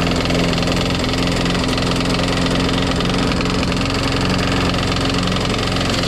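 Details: Craftsman Eager 1 mulching push mower single-cylinder engine just after priming: rough, uneven idle with a dull knock, some smoke, blade not hitting; cause not pinned down.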